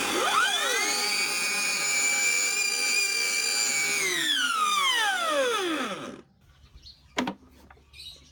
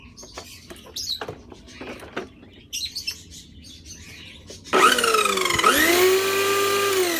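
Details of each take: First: Old gear-driven electric grass trimmer (no belt) spins up to a loud, steady, high-pitched howling whine that falls away on coast-down; motor and brushes fine. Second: Thai electric grass trimmer that howled loudly in use, after repairing a cracked bearing housing; motor spins up to a smooth, steady hum with an even pitch and no howl from the gear head.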